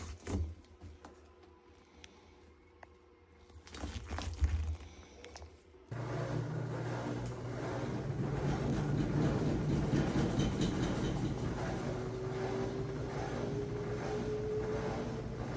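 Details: Samsung front-load washer: quiet start with a few clicks, then loud steady low rumble as the drum turns; failing rear drum bearing, drum scraping the front seal and shredding the rubber gasket, rattling in final spin.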